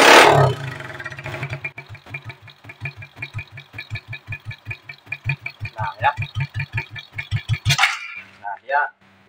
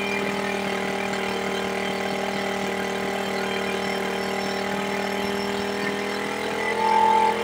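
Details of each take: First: Smash 110 carbureted motorcycle before carburetor adjustment: the engine catches and thuds at a slow, uneven idle of about four beats a second, then dies and will not hold idle; stalling from a misadjusted carburetor. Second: Smash 110 carbureted motorcycle after setting the carburetor air and throttle screws for an idle that would not hold: the single idles evenly with a steady beat, no hunting, and no longer dies; normal idle.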